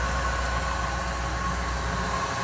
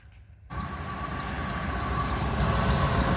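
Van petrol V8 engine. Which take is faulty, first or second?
second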